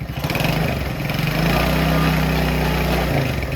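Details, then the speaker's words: 70cc Chinese quad running unloaded after intake adjustment: little engine pulsing unevenly, more sound from carburetor than exhaust, humming whine from the rear; rear drivetrain noise, owner suspects due to no load. "I feel like you can hear more sound coming through the carburetor than the exhaust. And then the rear end's making a lot of noise."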